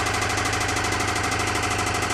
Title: 2008 Toyota Camry engine knocking